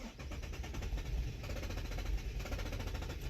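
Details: Infiniti (FX/QX/G-type) cranks steadily and fast for several seconds but never fires; tank out of fuel even though the fuel gauge can read above half, and no codes are stored.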